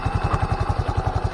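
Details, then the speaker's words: Scooter after DIY CVT cleaning and reassembly: even idle thump about ten a second with faint belt hum, no rattle or grind from transmission; now quiet, normal idle. "yung mga paps, so, tahimik na, ay goods na."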